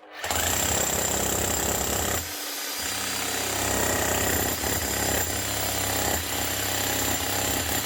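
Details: Bosch GSH 11 E 240 V demolition hammer after fitting an aftermarket copy armature: fast, steady pounding with a sharp rattling edge that never falters; hammer mechanism striking properly and healthy.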